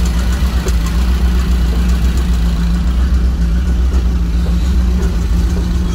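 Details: 1987 Powerplay XLT-185 boat, Mercruiser 350 V8 just converted from Rochester Quadrajet carburetor to Holley Sniper EFI, idling at 50–53 psi fuel pressure, still learning: even, steady low rumble with no misses, ticks or knocks; smooth, healthy idle.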